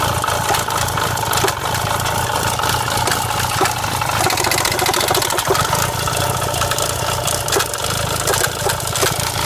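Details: Renault Clio 172 Cup with rough, uneven idle, irregular stumbles and a metallic rattle over the engine note; misfire with something loose rattling.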